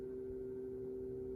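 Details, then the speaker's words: Tower fan run from Mophie Powerstation Go Rugged AC outlet, fan likely too big for the device; steady low hum with a second lower tone, unchanging: abnormal fan motor hum, cause suspected, not confirmed. "so i'm gonna go ahead and turn my fan on i immediately notice a noise from the fan and the fan is on but there's like this humming noise"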